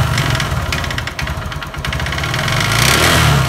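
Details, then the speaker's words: Honda Verza with loud noise and thick white smoke, revved up close: rough clattery kletek-kletek knock rising and falling with throttle; suspected scored piston or connecting rod, later found piston scored. "demikian untuk suaranya untuk motor Honda Verza ini kemungkinan piston kena ataupun stang piston ini kedua kemungkinan ya karena ada suara kletek-kletek dan suara kemruyuk tapi cuma sedikit"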